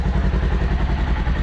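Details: 2021 Polaris Ranger 1000 started briefly just after an oil change to circulate oil through the new filter, no leaks: steady, even low thump, no knocks or rattles, settles smoothly; normal idle.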